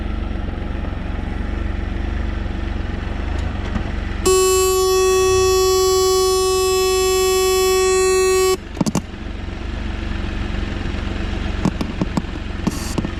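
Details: Can-Am Spyder riding, GoPro 12 recording: over engine and road noise, a steady piercing tone from the speakers for about four seconds, then cuts out; cause unknown.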